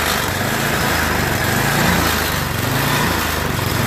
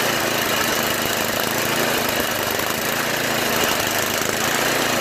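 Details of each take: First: MTD Yard Machines 8HP snow blower overfilled with oil that flooded the carburetor, crankcase and combustion chamber; electric-started engine runs unevenly, speed wandering about once a second with a rough beat; surging from an oil-clogged carburetor bowl. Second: Yard Machines MTD 8HP 24-inch snow blower engine, after its cracked oil breather overflow tube was cut and rerouted over the fuel line following an oil leak; holds a steady, even run with no misses, surging or knocks.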